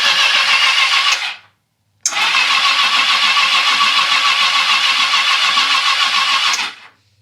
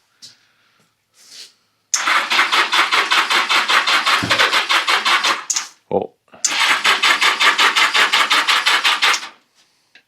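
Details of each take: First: 1982 Yamaha XJ650 Seca motorcycle sat 4½ years, on a jump box with spark plugs out for cleaning; two even cranking bursts, about three beats a second, nothing binding: normal cranking, turns over perfectly. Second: 1982 Yamaha XJ650 Seca unstarted for 4½ years, cleaned plugs refitted, brake parts cleaner sprayed into the intakes with pod filters on; steady cranking about three turns a second, faint catch, no run: cranks but won't start.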